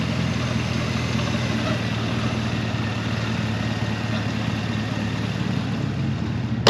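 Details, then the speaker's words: 2011 Chevrolet Camaro 2SS Synergy Edition, 400 hp L99 6.2L V8, 6-speed automatic, 12,487 miles, cold air intake, just started: smooth even idle, steady low hum, no knocks, ticks or odd noises; normal idle. "That 6.2 liter fires right up. No knocking, no weird noises."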